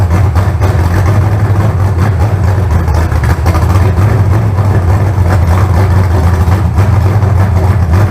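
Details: Freshly built carbureted 388 small-block Chevy (heads and intake reused from the owner's 406, crew-cab Chevelle) idling out of the car on first run: deep, steady, even burble, no knocks, ticks or stumble; about 80 psi oil pressure, no leaks. Normal idle.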